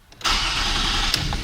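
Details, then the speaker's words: 2005 Toyota Camry LE V6, which would not start after sitting a day or two, restarted after the battery was disconnected. It catches almost at once with no long cranking and settles into an even idle: a healthy, quick start. "Starts right up."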